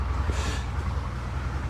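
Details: 2004 Mercedes SL600 R230, 5.5 L biturbo V12, at idle: low uneven rumble with irregular dull pulses breaking the rhythm. Still misfiring; whole right bank implicated, that coil suspected, idle air control valve also questioned.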